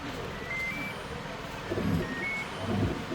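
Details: IFB 6.5 kg top-load washing machine after fixing P5 error by reseating a loose pressure-sensor connector; few short high chirps over quiet room noise, no error pattern; normal power-on beeps.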